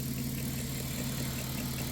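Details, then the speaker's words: 1994 Chrysler Town & Country AWD minivan, warm engine idling evenly with a faint steady hum over it; owner attributes it to a worn AC compressor bearing, heard when warm; possible small exhaust donut gasket leak noted when cold. "Otherwise, all we hear is this AC um bearing when it's warm."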